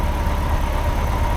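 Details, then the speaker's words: Triumph Herald Estate after a bore wash, with new spark plugs fitted (old ones oily) and the choke in: low, lumpy idle with an uneven exhaust thump, still "farty". It is improving, more responsive to throttle, no longer cutting out, and the manifold isn't blowing. "still a little bit farty, but it doesn't smell as bad. And it's still running, and the choke's in."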